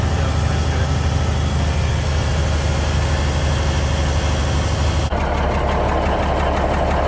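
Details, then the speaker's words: 1971 Peterbilt 352, after replacing the rusted air tank: steady deep diesel idle building air, oil light out with decent oil pressure; no misses, knocks or air hiss, sounds good. "So I don't hear any air leaks. Man, listen to that thing. Sounds good. I don't hear any major air leaks out here."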